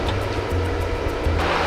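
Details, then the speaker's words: Replacement Century pool pump motor on Sta-Rite system, new seal kit and lid O-ring fitted, system primed before first start: steady low hum, smooth even tone, no rattle or screech; new motor running quiet and normal. "and quiet, like it's supposed to."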